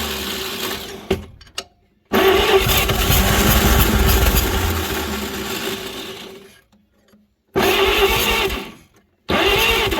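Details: 1938 Chevrolet Master Deluxe, sitting since the 1970s, cranked with starting fluid: repeated long crank bursts with a slow, labouring whirr and uneven compression beats that never catch; owners suspect low compression, a weak starter and flooding.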